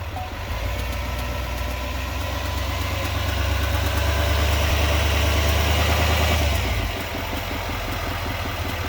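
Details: 2020 Silverado 2500HD Duramax diesel at idle: light, even tick about three per second over the clatter; owner asks if normal, cause unknown.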